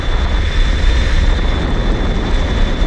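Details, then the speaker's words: InMotion Climber dual 750 W hub-motor electric kick scooter at about 23–24 mph, pulling power up a grade: heavy wind rumble with a thin, steady high whistle over it that kicks up under load; normal hub motor whine. "Oh yeah, that whistling kicks right up there whenever you're, whenever you just start pulling some wattage."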